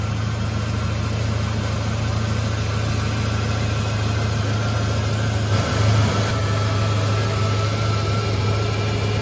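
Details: Ford EB GT V8, rough former daily driver with changed exhaust systems: steady, smooth low burble at an even idle with no ticks or misses; engine running healthy.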